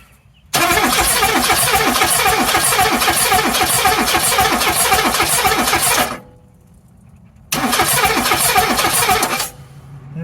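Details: 1984 Mazda B2000, parked months for engine issue, no smoke or knock, radiator foaming, head gasket suspected: starter cranks in two uneven, lopsided bursts without firing; owner fears low compression on a couple of cylinders, unconfirmed.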